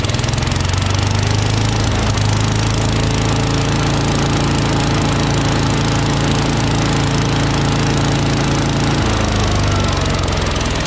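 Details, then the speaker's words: Troy-Bilt/MTD Gardenway chipper-vac with 5HP Tecumseh engine, started on choke after previous carb priming: catches and settles into a steady, even, strong run, no misses or knocks; healthy, only shifter cable needs fixing. "this thing's a beast all we need to do is fix that cable this is good to go"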